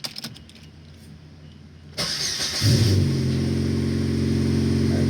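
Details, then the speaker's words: 2002 Saturn SL, first start-up after repair work including injectors: catches quickly into smooth high idle with no misfires or stumbles, later settling to about 800 rpm. "it right up i don't feel any misfires the engine is like super smooth let's let it come off of this high idle and i'll go ahead and check that uh service engine light soon"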